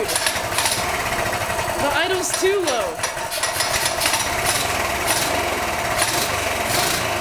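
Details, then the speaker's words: Small single-cylinder engine after 22mm Mikuni carburetor install replacing stock carb: slow, uneven idle with rough pulsing, nearly stumbling; idle set too low, then adjusted up. "Dude, the idle's too low."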